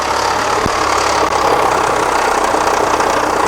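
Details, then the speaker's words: 2006 Kia Sorento with misfire codes P0300, P0301, P0303 and P0305 and a raw-fuel smell, at idle: a busy, uneven slapping rattle at the front of the engine. The very loose timing belt is flapping against its cover, external rather than internal. "It turns out this noise almost certainly isn't actually internal in the engine, but more external on the timing component area. I think what we're hearing is the the belt here rattling up agains"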